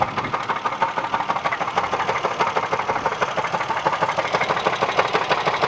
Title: What is this knocking noise